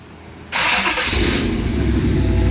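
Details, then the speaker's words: V8-swapped Chevy S10, first start after long storage, no coolant: quick crank, catches at once into a full, even, smooth rumble with no misses; healthy start, vacuum leak found afterward. "Look at that. Look at that. It's so smooth."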